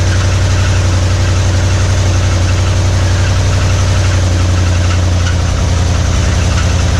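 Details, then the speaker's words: 1961 Mercury Meteor first start in decades after new coil and ignition parts, started on carburetor cleaner: rough idle with a dull knock about twice a second; ran with no oil pressure, oil light on, oil pump shaft under distributor found broken. "But yeah, it ran, but didn't have no oil pressure. I was like, what's all that noise? And it makes sense now. We found that the oil pump shaft under the distributor was broken."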